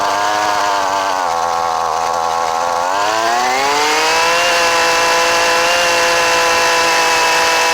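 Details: Old Husqvarna 128LD trimmer with a new Hipa carburetor, choke off: a clean, steady buzz climbs smoothly in pitch as the throttle opens and holds even at high speed; it runs properly.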